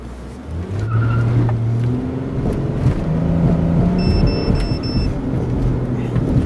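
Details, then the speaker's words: GPS fleet tracker set to beep above 3000 RPM: engine revs hard on a fast acceleration from a stop, then a thin high in-cab beep sounds twice in about a second, warning that the over-RPM limit was exceeded. "so you heard that so as soon as we push the RPM too high to do a real fast acceleration off of our start we're going to start to hear the beeping right in the cap"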